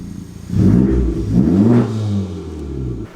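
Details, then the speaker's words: Honda Civic Type R FK8 turbo after apparently fixing a boost leak: two quick throttle blips rise and fall cleanly, smooth exhaust and intake, no hiss or stumble; sounds healthier. "it appears to me the car sounds way more healthier on just the throttle response and you know the intake sounds so i think we got it fixed"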